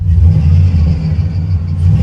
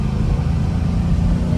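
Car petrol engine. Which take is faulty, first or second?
second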